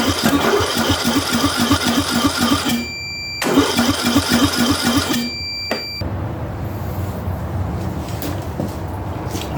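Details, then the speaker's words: Ariens/Husqvarna riding mower engine cranking in two bursts without catching, even with starter fluid; the compression test read about 45 psi against 90+ good, leaking down; low compression, and the head gasket was replaced. "right so it doesn't want to start so what we're doing we'll hook up the the pressure gauge here and we'll see what kind of uh pressure we're getting out of it it's leaking down and uh we only got to about uh 45 or so and these really anything above 90 is good but uh so we have a problem with compression"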